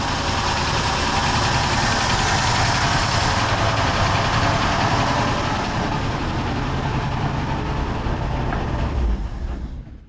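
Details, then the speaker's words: 1972 Ford F100 FE 360 V8 after tapping carb to free sticking needle and seat; smooth even idle, steady low rumble, no knocks, misses or hunting — normal idle after fix; engine leaks from somewhere. "dude that sounds awesome uh the needle and seat were getting stuck just a little bit I just took my wrench and tapped on the top a little bit now it's just fing like a kitten"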